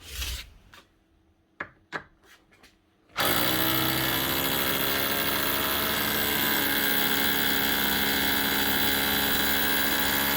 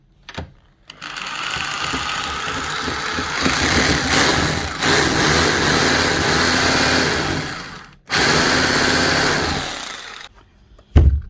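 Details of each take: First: Makita HR2630 SDS+ drill after repair with fresh grease; handling clicks then steady harsh rattling hammer buzz, hammering like a new machine. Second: Makita HR2630 SDS+ rotary hammer drill before repair, will no longer hammer: steady motor whir with buzzy rattle, vibrating but no hammer blows; problem inside gearbox.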